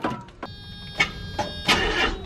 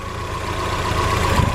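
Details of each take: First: Mazda Eunos Roadster, 50,000 miles on the odometer, sitting about 5 years: clicks and dry cranking, fires and roars only after brake cleaner is sprayed in, showing no fuel delivery; failed fuel pump. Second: Mazda Eunos Roadster, about 50,000 miles, first start after 5 years sitting, fresh oil: low, steady idle with even beat, earlier slight misfire now gone; normal idle.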